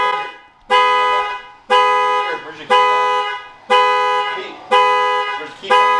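Loud two-tone horn-like blasts, about one a second, repeating evenly; the alarm went off when the car was entered without the fob.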